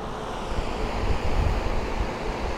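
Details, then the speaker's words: DeWalt 24-inch heavy-duty drum shop fan (6500 CFM) on full high, heard from about 4 feet away: heavy, steady rush of air with a low roar, no rattles, scraping or wobble; running healthy. "yeah that is very powerful oh my gosh"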